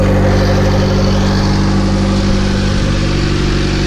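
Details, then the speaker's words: Honda EG9 with LSVTEC turbo swap on stock P06 ECU, first start: steady, even idle around 1100 rpm with a smooth, low exhaust note, no knocks or misses, no check engine light. Normal idle. "it sounds good [Music] we are idling pretty good there's no check engine lights it's about eleven hundred"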